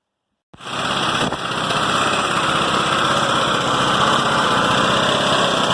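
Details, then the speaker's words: Westwood Gazelle W11 ride-on mower single-cylinder engine, previously running rich: fires and settles into a fast, slightly uneven wavering idle; dies when throttle is set fully down; rough idle. "about where I won this idols not great but it will idle but when you put these all the way down that will die"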